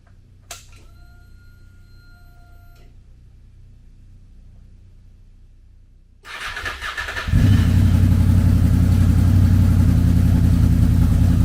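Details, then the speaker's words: Wrecked 2006 Honda VFR800 V4, broken inner clutch basket, side cover off, no clutch, first start: a few seconds of cranking then catches and settles into a strong even idle; runs fine but leaks oil at slave cylinder seal since clutch push rod is missing. "Yeah, so I need to regroup. It runs, but it's leaking oil out because I don't have the push rod in for the clutch, and it's pushing oil out the seal where the where the slave cylinder's at."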